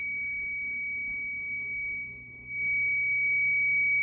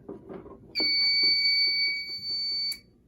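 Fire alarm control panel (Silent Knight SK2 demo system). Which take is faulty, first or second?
second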